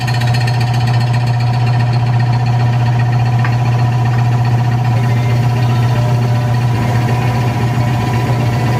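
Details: Rebuilt mid-1940s Surge milking vacuum pump, new electric motor, belts, fresh oil, cleaned muffler, test run with cylinders about 34.5 degrees at start: even low thumping about two beats a second, no knocks, squeals or misses; healthy.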